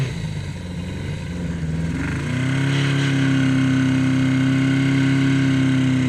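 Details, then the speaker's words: 1981 Yamaha XS1100 cafe racer on Speeduino, first test ride in rain: note climbs and holds a clean steady drone under load with no stuttering, running as it should after earlier stumbling. "[Music] oh that's how it's supposed to go"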